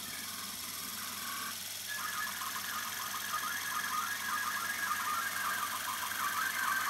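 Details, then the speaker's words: Revox A77 MkII Special Edition reel-to-reel tape recorder, after brake band work: quiet, smooth whirr climbing in pitch as the reels speed up, with no scraping or grinding; healthy rewind. "Right, let's just rewind this. I love that noise. I really love that sound."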